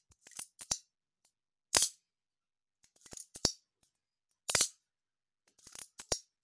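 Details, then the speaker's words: Canon A-1 after lubrication and cleaning of the mirror mechanism: crisp, quick clacks with a clean snap and no squeal or drag. Normal, smooth and fast mirror and shutter operation. "very smooth and uh fast operation of the mirror this is how it's supposed to be done"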